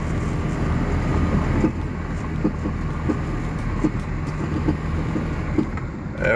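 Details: Knock from the left rear underbody while driving, like metal hitting the body, over road noise. Owner suspected the recently replaced exhaust intermediate pipe striking its heat shield; clunk persists, source still unresolved.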